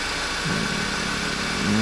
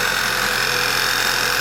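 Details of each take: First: 2011 Passat that ran poorly, after the failed PCV was fixed: engine catches and settles into a steady, even idle with no miss or hunting, smooth like it used to be. Normal idle after repair. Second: 2011 Passat running poorly, idling: steady airy suck and faint whir from low in the engine, a vacuum leak from a failed PCV valve; idle changes when disturbed.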